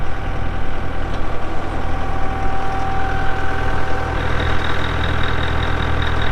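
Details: 2012 Kubota M8560 85HP 4WD cab tractor with loader, only 381 hours: deep, even diesel clatter at steady idle with no knocks or misses; normal, healthy diesel idle.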